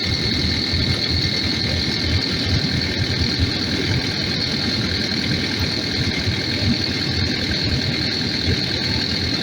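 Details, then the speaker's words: Takeuchi TL12V2 diesel at -30°C after diesel additive and cycling key to pump fuel; steady even idle, low rumble and hiss, no surging, longest run so far; owner suspects fuel had gelled, possibly at pickup screen. "this will see if she stays running so far that you might have might have got her well this is the longest it's run so far"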